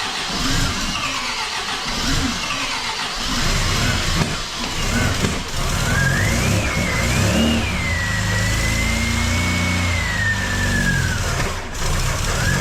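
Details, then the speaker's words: Supercharged MGB engine on its first start after a major overhaul, run 40 seconds without coolant, a little exhaust smoke: uneven revving that surges and sags with a wavering high whistle. Rough running; owner says it needs adjusting, cause not pinned down. "so that's 40 seconds of running a bit difficult to start up but it went and I think I have some adjusting to do so that it sounds a little bit better than it did"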